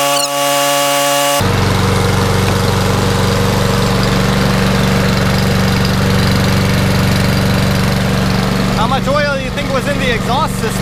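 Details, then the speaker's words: Toro Recycler mower that was hydrolocked and seized from overfilled oil, now correctly filled and running to burn off excess oil. After about 15 minutes the single-cylinder engine holds a steady, even beat with no misses or surging: it is running normally. "system that's a nice view it's been running for about 15 minutes much better"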